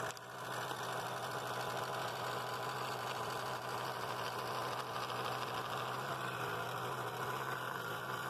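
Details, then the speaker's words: Scroll saw running fast while cutting half-inch walnut; clean singing blade note, steady even buzz, no rattle or knock in the mechanism: normal scroll saw running. "blade's singing pretty nice note there it sounds good there's no rattle in it mechanism anywhere"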